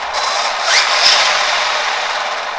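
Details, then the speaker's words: Arrma Big Rock RC truck after a 4S-stripped spur gear was replaced with an HD steel 57T spur, on 3S LiPo; smooth, even high drivetrain whir with no clicking, skipping or grinding, gear mesh and slipper clutch sound healthy. "Mesh sounds pretty good. I think the slipper sounds like it's doing its job."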